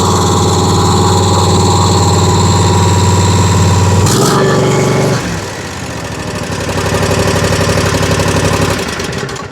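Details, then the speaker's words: Exmark zero-turn mower, Kawasaki V-twin, after replacing over-gapped spark plugs: steady, even beat at high speed settling to smooth lower speed, both cylinders firing cleanly; running normally, sticking choke still to fix. "sometimes it's the simple things so don't know why that Gap was so wide on there she's running like she's supposed to now"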